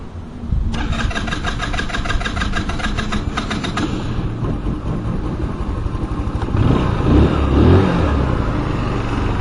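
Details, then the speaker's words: 150cc Chinese scooter, start-up demonstration: starter spins briefly, engine catches within a second and settles into an even, steady idle with no knocks or misses; sounds nice and runs fine. "It's a nice scooter, though. It sounds really nice, as you can see."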